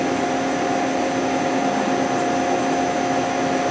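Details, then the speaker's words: 6,000 RPM CNC spindle with a two-range gearbox (low range 0–1,200 RPM), stepped up from about 400 RPM, not yet warmed up. A spindle chiller drops oil on the gears. Smooth steady whine over an even hum with faint gear mesh; normal gearbox noise. "I didn't run it didn't warm it up yet so it might be um little loud but I hear you know the gearbox it's okay you know it's not one of the loudest gearbox"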